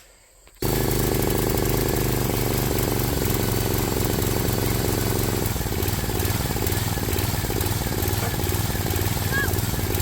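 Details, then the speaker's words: Briggs & Stratton 7 hp Intech single-cylinder on a Swisher 22-ton log splitter thumping at idle, beat slowing and picking up, a hunting, surging idle; dirty carburetor suspected, cleaning planned, cause not confirmed. "If you saw our splitting video a while back, the engine didn't idle smooth. It hunted, and the RPMs went up and down."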